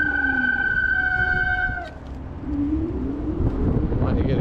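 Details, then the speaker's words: HyperScrambler 2 motorcycle on a cold day, before applying anti-squeal paste, new pads fitted recently: loud high-pitched disc brake squeal as the brakes bite, pitch sliding as the bike slows, dying away at the stop. "so I try to mitigate the the squeal and not bother the heck out of you guys and blow out your eardrums but it might get a little loud here so watch out"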